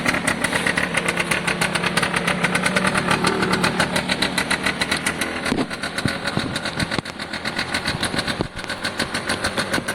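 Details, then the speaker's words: Piaggio Diesis 100cc two-stroke scooter at idle: a crisp, even putter with regular firing pulses and one small blip. A small hole is noted that pulses harder when revved; normal idle. "Oh, I'm quite happy with that. To an extent, I think that's job done, really. Sounds great."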